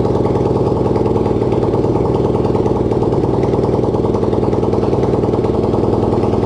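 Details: Racing lawn-tractor single-cylinder engine (250cc, though also called 150cc) on its first start, no exhaust and no throttle fitted: loud, raw, steady popping at about four beats a second; runs smoothly.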